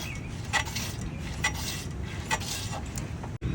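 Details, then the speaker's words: Motorcycle, front end pushed down: sharp metallic clink roughly once a second per compression, coming from the front shocks; checker claimed no noise; front suspension noise when compressed. "इसमें से आवाज आ रही थी काफी ज्यादा। जब motorcycle के शासक बर्ग करते हैं तो आवाज आती है।"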